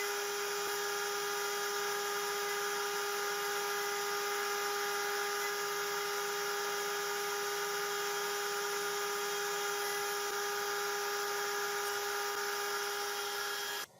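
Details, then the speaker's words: Genmitsu 3030 PROVer Max desktop CNC fitted with 1.25 HP Makita router cutting aluminum, same G-code as 300 W spindle: steady high whine and even cutting hiss, no vibration or chatter; cutting smoothly and cleanly. "it sounds much better I can't hear the vibration anymore the cut looks much cleaner I will let it run the exact same g- Cod and see the result"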